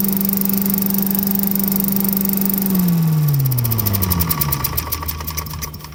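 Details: Vintage Heckinger leaf vacuum (possibly MTD-made) with a 5 hp Tecumseh TVS120, after replacing the carb inlet needle, seat and float: the single runs smooth and even at a steady pitch, then winds down cleanly as the throttle drops; sounds healthy.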